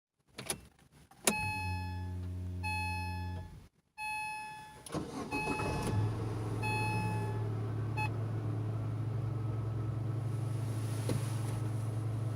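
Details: Chevrolet Lanos, fuel pump strainer and fuel level sender replaced a month earlier: a steady low hum under the idling engine after start-up, the in-tank fuel pump droning louder than it should; owner suspects the pump is failing.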